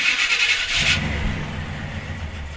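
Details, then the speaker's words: 1976 C30 dually 454 V8 after a Holley Sniper EFI and HyperSpark install; starter whirs, the engine catches with a loud low burble, then sags and fades out instead of idling; catches but won't run. "we're getting something but we're not learning yet i guess [Music] okay it didn't like that that was very loud too"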